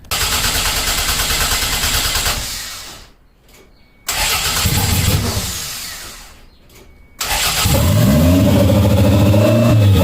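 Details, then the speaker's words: 1992 Toyota MR2 after adjusting throttle cable: two cranking bursts, fires, revs climb and hang high; throttle plate not fully closing, idle fine when throttle pushed fully closed. "so as you guys heard um when I push the throttle completely closed the idle went perfectly fine"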